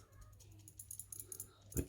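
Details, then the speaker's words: Lock that had not been stripped in three years and never rattled before, shaken by hand: light metallic ticks with one sharper clatter from a loose internal part. Worn-out pin springs suspected, not confirmed. "This never rattled. Now I know it sounds like pins, but if that's pins, then it sounds like the springs are knackered."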